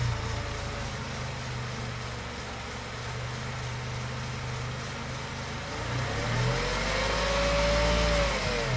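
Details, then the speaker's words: Mercedes, knocking when turning the steering after hitting a large pothole, tested with the car jacked up, engine running, wheel spun: ESP grabs that brake, fast even clicking about four times a second over the engine, whine from the lifted wheel. "здесь нет крутится но ESP прям сильно щёлкает хрустит прям блокировать"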